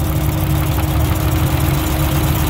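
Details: Drift car's six-cylinder engine; low idle carries an uneven, lumpy beat with a skipping thump every few turns. Cylinder misfire at idle; owner suspects a burned cylinder two intake valve leaking, not confirmed.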